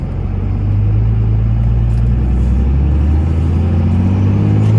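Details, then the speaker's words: 2002 Dodge Ram 2500 5.9 Cummins 4x4, 102k miles, test drive uphill through the 6-speed manual: deep, even diesel rumble pulling steadily with no grinding, clunks or hesitation going into gear; normal smooth shifting. "I'm gonna take off and head up the hill here so you can hear how smooth this 6-speed shifts. It doesn't grind or hesitate going into gear whatsoever."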